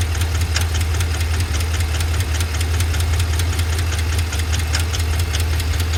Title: 7.3L Godzilla lifter failure - ticking and knocking noise